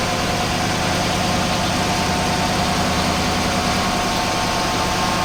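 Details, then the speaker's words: Chevy Silverado V8 at 72,000 miles, after a flush and a change from 0W-20 to 5W-30 oil, idling. An even, steady hum with no ticking or tapping; the owner says the engine sounds better. "So what I'm gonna do is I'm gonna go ahead and take this stuff down, and I'm gonna start up my engine so you can hear what it sounds like."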